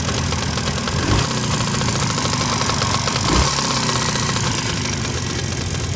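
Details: Jawa 638 two-stroke, knocking after overhaul: cylinders bored to 6th repair size with Czech parts, Polish crankshaft, about 80 km ridden since; busy idle with a hard, fast knock over the exhaust rattle, source inside the engine not pinned down.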